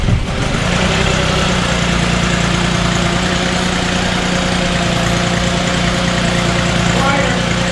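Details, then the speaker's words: 2006 VW Passat with a low oil pressure light and suspected worn plastic timing chain guides, started up again: it catches right away into a steady, even idle, much quieter, with no chain rattle. "Much quieter. Oh yeah."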